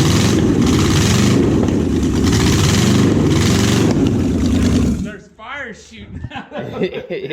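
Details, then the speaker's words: Junkyard Oldsmobile 350 V8 running on an engine stand, held by one bolt, no flames from one side: loud, uneven running for five seconds, shaking badly; crossover cylinders suspected; rough running. "yeah it could I just feel it you see it shaking pretty bad"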